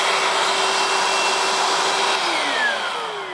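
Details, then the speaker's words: Milwaukee M18 0880-20 2-gallon cordless wet/dry vacuum on an M18 battery, tested outside; loud even motor roar with a steady high whine, no knocks or rattles, pitch sagging slightly near the end, suction working normally. "We'll just turn it on. I can hear the suction coming in here."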